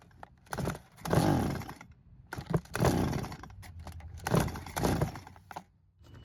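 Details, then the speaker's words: Stihl chainsaw that sat in a barn for years, pulled without priming: three pull-cord bursts, each catching briefly then dying, fuel starvation; carburettor suspected. "the good news is that it did try and start, but it won't do much more than that. So at the moment, I do believe the carb is the problem and we'll need to take it off for an inspection."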